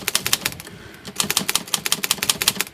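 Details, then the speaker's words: Olivetti Lettera 22 typewriter whose ribbon drive had stalled, freed up after a sticky pawl was found: crisp, even keystroke clacks with the ribbon advancing freely in both directions, no stalling or dragging; normal ribbon drive. "You can see it moving around now. So, sticky parts are a culprit a lot of times on these old guys."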